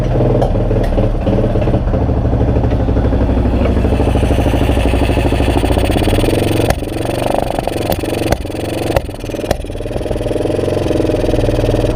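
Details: 2002 Yamaha XT600E single-cylinder being revved: thump stumbles and skips unevenly with sharp pops and dropouts; engine misfire, cause not yet pinned down.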